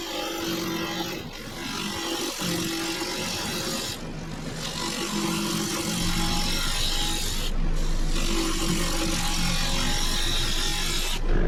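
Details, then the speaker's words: Woodturning a cedar crotch log just after resharpening the gouge: steady rasping hiss over lathe hum, even cut rhythm, little tearing chatter; sharp gouge cutting cleanly. "Now you can see how a lot of difference, the sharp tool, how it cuts, you can hear it. And it's not tearing it as bad."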